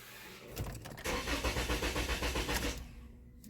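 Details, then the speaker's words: Toyota Camry with no-communication codes, during key re-registration that reports the key already registered: the starter cranks steadily at about four turns a second for under two seconds and never catches. Owner suspects immobilizer issues. "oh it's already registered okay whats weird why is it not starting"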